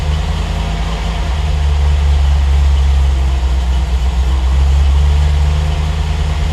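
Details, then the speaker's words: Triumph TR8 V8 on Megasquirt 3 Pro, cold idle after IAC move and enrichment changes, around 12.5:1 AFR: deep steady beat whose loudness swells every few seconds; tuner suspects slightly lean and adds fuel. Idle surge. "Kind of surging a bit, probably. It's a little bit lean here. Let's go and give it a bit more fuel."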